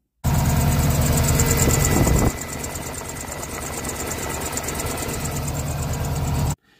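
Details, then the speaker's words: Subaru Impreza at steady idle: thin high chirping squeak over the engine hum, believed to come from a worn A/C compressor idler pulley. "so as you can hear the uh engine on the subar is not sounding quite as sweet as it should there's a bit of a squeaking noise going on and I believe the noise is coming from this"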